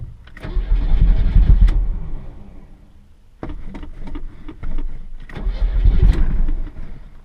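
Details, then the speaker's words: 1986 Chevrolet Chevette: long uneven cranking with ragged, stumbling catches that never settle into a steady idle; hard starting, cause not yet clear. "Wants to start. It's just not happy, that's all."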